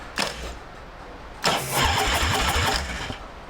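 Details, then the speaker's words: American Ironhorse Texas Chopper V-twin that has sat for years, now with no gas in it. Two bursts of even, rhythmic starter cranking that turn the engine over without it catching. Normal starter cranking. "so everything seems to be in order and how it should so it would fire up"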